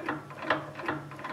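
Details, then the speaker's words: Land Rover Defender 110 rear axle, new driveshafts and flanges, turned by hand: dull clunk about every 0.4 s over gear rattle while crown wheel barely moves; worn differential carrier gears or thrust washers, tooth pattern fine. "but you see the crown wheel's hardly moving so that's where the clunking is coming from"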